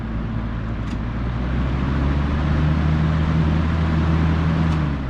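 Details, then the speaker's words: Older garage box fan, freshly oiled, motor having laboured about two minutes to start, running: steady low hum with even pitch and slight swell reaching speed; works well once going. "yeah usually once you get the thing going it works pretty good"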